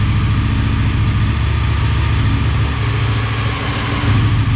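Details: Motorcycle idling on second start after full teardown and rebuild, coolant and oil topped up: steady, even idle, smooth low thrum, no knocks or misses; normal idle.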